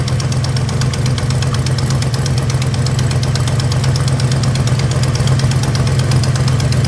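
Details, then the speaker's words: 1976 Plymouth Gran Fury station wagon with engine tick developed on a long trip, after valve cover gasket change: idle with quick uneven ticking puff; exhaust leak at an exhaust manifold bolt found almost finger tight. "That looks like the culprit there, though. That almost looks like that bolt is finger tight."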